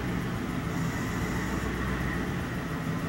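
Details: 4.6 V8 Lincoln with a coolant leak believed to cause a misfire, intake manifold replacement planned: uneven, stumbling idle with a faint rhythmic tick-tick-tick; suspected misfire at idle.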